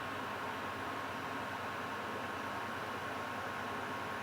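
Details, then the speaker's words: Dyson hot and cold purifying fan heater at maximum speed setting 10: smooth, even rush of air with a faint steady hum, no rattles or pulsing; normal. "so this is at number 10 now and if I stop talking you can hear the volume of 10"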